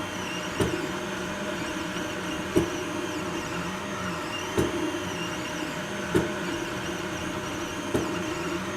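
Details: Anycubic i3 Mega feeding PLA: sharp single extruder clicks every one to two seconds over quiet motor whir, filament skipping; suspected slicer settings, unlevel heat bed, old PLA, or faulty extruder, not confirmed.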